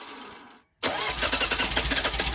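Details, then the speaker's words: Old Bobcat 743B diesel skid steer from auction, hard start: brief quiet then catches abruptly into rough uneven clatter with white smoke; owner suspects non-working glow plugs. "Yeah, I mean, it's definitely I don't think my glow plugs are working or I I hear the relay clicking for the glow plugs, but I don't it's not it's not firing."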